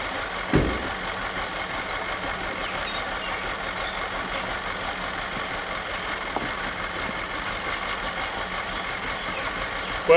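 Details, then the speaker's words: Audi direct-injected engine just reassembled after no-compression condition, retimed with new camshaft: rough uneven idle with occasional sharp knock and hiss; cylinder 4 misfire, suspected broken rings blowing by or valve-damaged injector on #4, later found ring damage. "this beautiful beast does run but as you can tell by the crashing going on under the hood there it's got a misfire"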